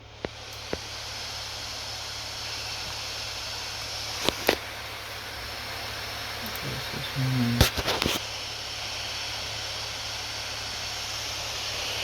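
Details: Acer Predator Helios 300 (PH315-53) laptop after cleaning dust from fans, running at max speed: steady even airy whoosh without rattle or scrape; still audible but much less annoying.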